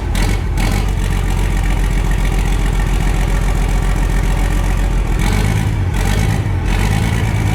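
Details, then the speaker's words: Worn Perkins 6354 turbo diesel, oil leaks worked on and cooling system bypassed, gives a deep, even beat with no knocks or misses and the load shifts smoothly through neutral, forward and reverse; it runs healthy and the turbo is heard spooling. "Neutral. Forward. Reverse. That doesn't sound that bad at all, does it? No. You can hear that turbo spooling up as well."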